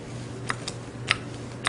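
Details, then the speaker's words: Mugen MBX6 Eco RC car wheel bearing, raced three weeks in dirty muddy conditions, hand-spun: sharp dry ticks about every half second from dirt grit inside; bearing no good, being replaced. "he hit a dirt grit baron's no good"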